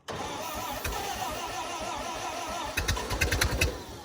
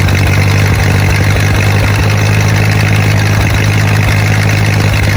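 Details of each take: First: 1928 Ford Model A sitting 75 years in a ditch, cold, freshly rebuilt with new unseated rings, low compression, running on ether: slow even starter churn, a few sharp pops, cranks hard but won't start; timing suspected to need advancing. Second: 1928 Ford Model A four-cylinder revived after 75–80 years in a ditch: low, steady even idle with no knocks or misses; runs really good, though carburetor flooded earlier and clutch/transmission grinding still needs adjusting.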